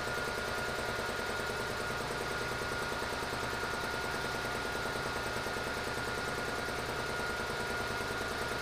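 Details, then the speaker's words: Air compressor's first test after wiring in a remote switch and a solenoid air valve: steady pump chug of about 98 beats a minute over a constant motor hum, with the solenoid clicking while pressure builds. No knocks or rattles; pressure switch set to 150. Running normally. "all right that's a good sign the compressor's running and i can hear that solenoid click so i think it's definitely trying to open that this can't yet until there builds some pressure"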